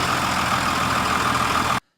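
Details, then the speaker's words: Cummins diesel pickup truck, cold start on plain diesel with no additives, peaking about 90.6 dB on a decibel meter. Loud, even diesel clatter at a steady fast idle with no misfire or knock, then shutoff; normal cold start. "so with just diesel fuel in there with no additives a cool start was rated about ninety point six decibels so that's the max that it read for the cold start"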